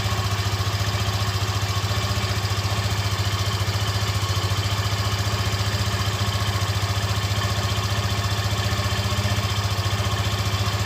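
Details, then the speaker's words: Yamaha FZ15 single-cylinder, first start of the morning with the engine fully cold: steady, even beat at an unchanging idle, no chain rattle or tapping on top; a normal healthy engine noise. "Vou ficar em silêncio para ouvir o barulho e depois nós vamos acelerar ela aqui, tá? Pega a visão. Esse barulho aí, ela tá com o motor frio, frio, frio."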